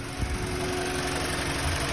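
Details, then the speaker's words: BMW E90 N46B20 petrol engine at warm idle: steady buzzing hum seeming to come from the oil filter housing, absent when cold, starting right after warm-up; owner suspects a valve issue, unconfirmed. "мотор н46 b20 После прогрева начинает что-то там Жужа гудеть звук такой как будто гудит гурт но гудит в масляном стакане Пока машина холодная звука нет"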